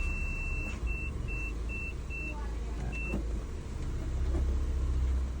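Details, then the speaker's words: Nissan Juke after repair, with the check-engine light off, previously jerking: low steady engine rumble in gear with a few chime beeps, no jerking; running normally. "เกียร์ก็ปกตินะครับไม่กระตุกไม่กระชากแล้วนะครับ"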